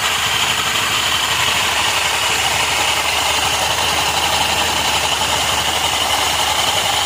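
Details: Honda Activa 125 idling with a constant hissy, high metallic rattle, about three pulses a second, over the engine; an abnormal mechanical noise suspected from the clutch, not confirmed.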